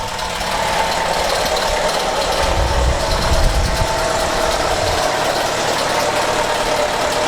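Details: Chevrolet Captiva at idle, microphone placed near engine; customer reports very weak power, very low idle, injection light on: loud rough constant clatter over low idle; source not identified.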